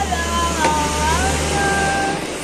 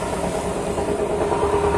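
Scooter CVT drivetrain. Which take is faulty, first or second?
second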